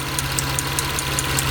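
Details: Mitsubishi Eclipse 6G75 V6 after reassembly and timing belt work, warm idle: sharp tick about five per second, the same tapping as before but louder. Valve train suspected; intake and valve covers may need removal.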